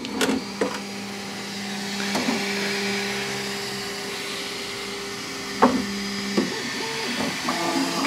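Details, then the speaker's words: Bambu Lab X1 Carbon AMS after firmware update, loading attempt: feeder motor whirs in short start-stop runs with nothing feeding; AMS reports nothing loaded, load fails because a broken piece of filament is stuck in the filament detection sensor. "Pull back current filament. There is nothing loaded. I got to see there's a piece broken in there somewhere."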